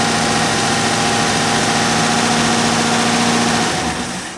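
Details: 1964 car with 318 poly-head V8 after no-start fix and ignition timing adjustment, backed off where it kicked back: loud, steady, even running with constant hum, no misses or knocks, then winding down; normal running.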